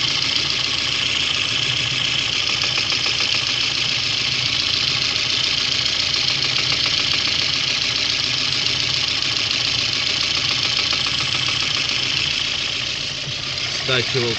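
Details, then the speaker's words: VAZ 2109 engine at steady idle with a light, regular tapping knock every 6–7 beats that stays put at constant speed. Knock of unknown origin. "Появляется небольшой стук. Периодичностью по удару 6-7, может меньше."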